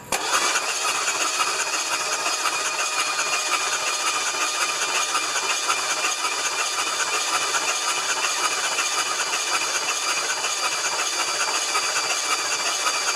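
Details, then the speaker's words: 1975 Lincoln Continental 460 V8, cranked on the starter with a weak battery on a charger, after oil was poured in; a fast, even whirring spin with no grinding. Normal cranking. "starter sounds good all right that should have lubricated the intake valves pretty good"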